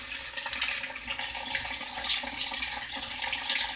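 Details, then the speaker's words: Whirlpool washer in diagnostic test mode, cold water valve manually actuated for 60 seconds: steady hiss of water filling tub, no valve buzz or chatter; normal water inlet valve fill. "now cold water valve actually it's the last for 60 seconds I says we glad manually advance so obviously we know that cold water valve here let's go ahead and blow advance now we got the hot water valve is actuated"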